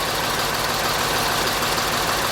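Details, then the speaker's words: 1946 Ford truck with a turbo diesel, after check-engine and wait-to-start light wiring traced to the PCM and properly powered. Wait-to-start goes out, then it catches and settles into a steady, even idle with no knocks or misses: normal diesel idle. "But now that I've applied power properly and traced the wires back to the PCM, that's my check engine light, and then here in a second the wait to start comes on, and then it goes out, and it cranks up."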